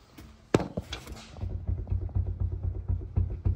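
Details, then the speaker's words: Ford FG Falcon XR6 rear suspension, wheel rocked by hand: dull hollow knocks about four a second from worn, loose rear upper rose joint, causing metallic knock when driving; joints being replaced. "can hear that knock. And if you look closely enough, you can actually see the movement in the joint. So this will give you like a metallic knocking sound when you're driving."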